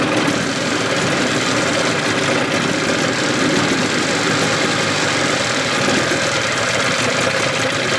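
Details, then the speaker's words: 1981 Evinrude 15 HP two-stroke outboard; even busy buzz at steady speed, no whining or knocking, so the earlier whine was in the lower unit; powerhead sounds healthy. "sounds good I got my sucker off so you can hear the engine no whining so the winding was in the lower unit motor sounds good real good"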